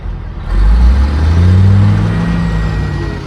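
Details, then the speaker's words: Caterpillar 3406E diesel from a D350E Series 2 haul truck, 18,676 hours, test run on the shop floor, slightly warm; deep steady rumble settling into an even low idle, good oil pressure, no bad blow-by: normal idle. "it's held good oil pressure the whole time it sounds good it runs good I think that's good enough for me"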